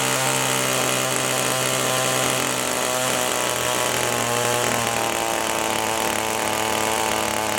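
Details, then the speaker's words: Echo two-stroke power tool held at full throttle while high-speed mixture screw is turned clockwise; screaming note sags lower then climbs back; rpm drop from lean high-speed mixture setting. "so you can hear as we're returning the screw you could hear the throttle go down we held it full throttle the entire time but as we turned it clockwise it started to go go lower and lower"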